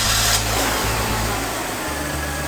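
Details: Project car revived after sitting, at idle: steady low engine hum holding even with a small shift partway, no knocks; the engine is running cleanly.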